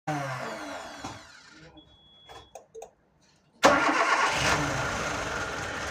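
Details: Nissan GA16DE petrol engine first start after repair: short crank, pause, fires at about 3.5 seconds and settles into steady even idle; normal idle.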